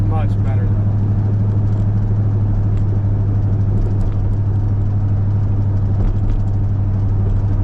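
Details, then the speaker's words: 1978 Chevy C10 with a 454 big-block V8, on a drive to warm up after the engine tick was addressed; steady deep drone under road noise, no ticking, nice and quiet, though a slight exhaust pop remains that the owner suspects comes from the glass-pack mufflers. "she sounds pretty good sounds pretty good nice and quiet I think we got her"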